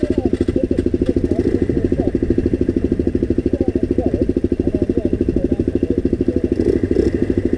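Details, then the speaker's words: Off-road motorcycle idle judged to be ticking over too low before the idle was raised: slow, lumpy single-cylinder thumping near 160 per minute with some clatter, uneven and close to stalling; rough idle. "do you think it's ticking over too low that's enough that's enough yeah that sounds a bit better now just up the idle"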